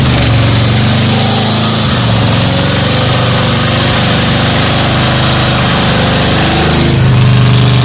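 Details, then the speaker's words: 1985 Ford Bronco V8 first start after 8 months, coolant puking out of one exhaust pipe, oil squirted in bores; lumpy uneven idle that never settles, smoking; needs head gaskets, maybe heads. "what do you think [Music] it don't run good but it runs"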